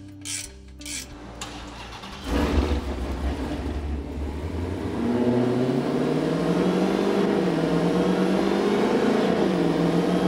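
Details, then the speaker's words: Supercharged Dodge Challenger V8, about 1000 hp, on the dyno on straight pipes: deep roar climbing steadily under load, loud but clean and even with no misses. Made 847 hp and 868 lb-ft on the first pull; healthy, rowdy. "so that is definitely one rowdy vehicle that's pretty mean"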